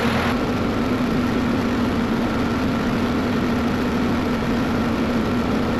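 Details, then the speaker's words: Cat 312 excavator diesel after replacing blown hydraulic hoses: steady, even drone with constant low hum, no knocks or surging; engine running normally, no leaks seen. "So, I got it running and so far we're looking good. Don't look like we got any leaks."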